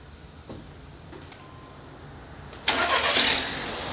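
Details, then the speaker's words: Copart salvage car with TSI engine, just started: quick crank into smooth, even idle with no timing chain rattle or ticking, engine sounds healthy. "We just started up the engine. Listen to that TSI engine. The engine is running nice and smooth."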